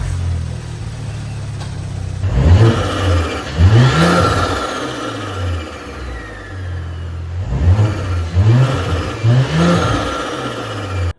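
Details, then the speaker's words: Audi B9/B9.5 S4/S5 with a stage 3 TTE710 turbo, first startup after fitting the 034 Superduper inlet and S34 intake: fires, settles to a steady idle, then quick revs rise and fall cleanly with no rattle or hiss; normal. "Alright, so if y'all stayed this long with me, you're about to hear the first startup on stage 3 on the TT 710. So let's turn it on and make sure nothing leaks."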